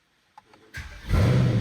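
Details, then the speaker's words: Wrecked Mercedes-AMG E63 V8 first start after a year and a half unused, oil system primed: brief crank then strong even low rumble, idles down nicely; running well. "IT SOUNDS LIKE IT'S RUNNING PRETTY GOOD. No black boost. Let's go! Idles down nice."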